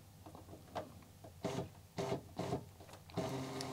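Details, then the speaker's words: Commodore MPS 1500C colour dot matrix printer, first power-up connected to an Amiga, using the local, line feed and form feed buttons: short crisp whirring bursts as paper advances, each starting and stopping cleanly; feed mechanism working properly. "okay it moves nice so the motor is okay it says on and it has three uh buttons here first is local then it's line feed and form feed"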